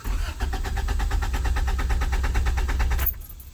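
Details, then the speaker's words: 1991 Honda Civic with code 43 and fuel pump not priming, earlier after a blown starter fuse: engine chugs unevenly about three beats per second for three seconds, then cuts out; stalls after starting, sometimes clicks, fuel or starter issue suspected. "sometimes it just stalls and just goes click click click but a lot of that sounds like starter issues"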